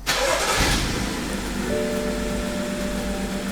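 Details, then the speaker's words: BMW F15 X5 xDrive35i with N55 engine, started up after violent shaking while passing: the starter cranks and the engine catches, then settles into an uneven, lumpy idle, a misfire that persists through restarts with the check engine light on. "It will run like crap and it will misfire."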